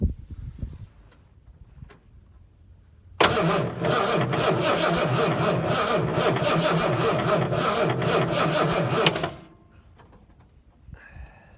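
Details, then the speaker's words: About 1970–71 Ford Torino GT with a 429, sitting about 15 years: steady cranking for about six seconds at roughly two beats a second without firing; no spark seen at the coil wire, ignition points suspected. "I didn't see any spark, did you?"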